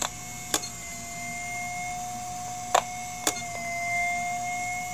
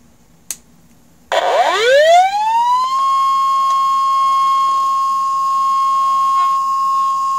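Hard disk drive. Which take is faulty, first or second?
first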